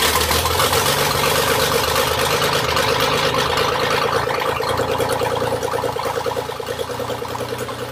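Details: Classic Marcos Coupe GT V6, first start after the fuel tank was installed during restoration: loud but steady idle with an even throb and no misses, rattles or knocks, settling slightly quieter. Normal idle.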